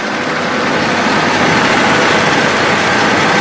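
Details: 1994 Oldsmobile Ninety Eight Regency with 3.8L V6 and automatic: loud, even running hum with a rushing top end and no knock, tick or stumble. Normal, healthy idle.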